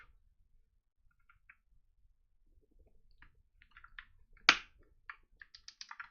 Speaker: definitely a lot smoother than before and the sound is a little bit camp and clear the difference